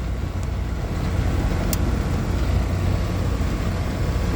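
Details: Air conditioner condenser outdoors, nearly 100° outside, running after bad capacitor replaced (had not been running): smooth, constant low hum from compressor and fan, no clicking, buzzing or labouring; outdoor fan 0.56 A, compressor 4.02 A, running normally.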